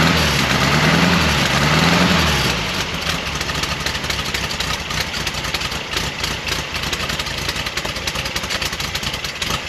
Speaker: i was making some sort of noise what is that noise it almost sounds like some of the tin work it's either the generator we didn't get something right or maybe it's this this tin work right here